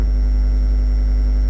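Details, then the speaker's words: Car audio subwoofer amp gain turned one click down from where the faintest fuzz appeared at the top of the wave: pure, steady low test tone with no fuzz, clean and unclipped. "and it goes clean. And that's what you're listening for."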